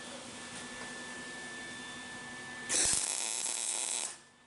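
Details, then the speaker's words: MIG welding on a 1964 Falcon hot rod build with the ground moved onto the workpiece: steady bright frying hiss with no popping, in contrast to the popping from a poor ground. "So that's why you got to have a good ground when you're MIG welding."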